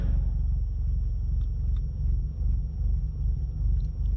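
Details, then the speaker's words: Ford Mustang EcoBoost on E85 with no tune, Boost Max turned all the way up, just after a cam (relearn) reset: low rumbling idle swelling and dipping two to three times a second, a loping cam-like rhythm. "Sounds like it has a cam loop, loop, loop, loop, loop."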